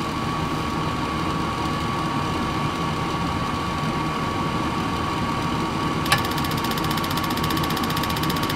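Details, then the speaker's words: Travel trailer furnace that previously got no gas (fan ran, tried to ignite) now getting fuel after repair: blower hums steadily, then a sharp click and soft rush of flame catching; lights and burns normally. "amazing when the furnace actually gets fuel it will light burn and make heat is that not amazing"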